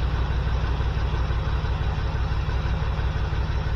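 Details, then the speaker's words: 1979 GMC C15 LS swap, P0300 misfire, plug-wire test at idle: lumpy, uneven lope about three beats a second from dead cylinders; cylinder 5 has spark but isn't hitting, 7 is firing, injectors suspected. "In here, it's missing like a mofo. So there we go. 5 isn't hitting. It's got spark, but it's not hitting."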